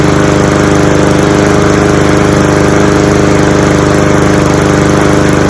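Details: Cub Cadet SC-700H mower, Honda GCV190 engine, running outdoors in snow after its cold start: steady, even single-cylinder putter with no misses or surges, fuel shut off so the carburetor empties for winter storage.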